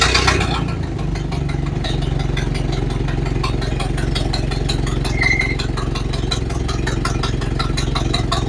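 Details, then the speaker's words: Model A Ford after sitting about four months and getting new parts, including a Bendix repair: it starts right up into a steady low idle with a valve about a third open, but a sharp puffing tick rides each firing pulse from a leaking exhaust. "okay so that went well started right up ran good except for that leaky exhaust"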